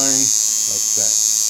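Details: Cheap $5 kit coil tattoo machine retuned with new armature bar and springs to line, running at only 6.5 volts: steady, high, even buzz with no stutter or rattle, running cleanly as a liner.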